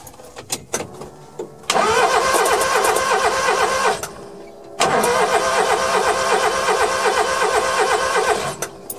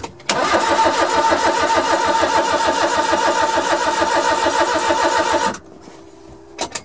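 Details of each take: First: Suzuki Carry mini truck cranked with a spark plug out to check for spark; the plug tip was very black. Two long bursts of even cranking with no firing. No spark found; owner suspects the coil or distributor wiring. Crank no start. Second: Suzuki Carry mini truck, first turnover after sitting, fuel pump heard, distributor not yet installed so no spark: five seconds of steady even cranking, no clanking or stuck-valve sounds; mechanically sound.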